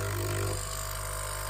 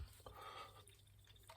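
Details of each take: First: Nespresso U XN250 at temperature, running vinegar descaling: pump drones with steady low hum dropping in pitch, no gurgle, water level unchanged and nothing from nozzle; debris clogging flow meter intake. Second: Nespresso U XN250 after clearing debris from flow meter intake and flushing with alcohol: small impeller whirs freely, tone rising and falling with flow, no rubbing; flow meter spinning normally, clog believed to be the fault.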